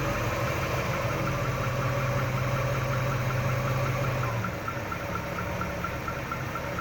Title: Weird engine noise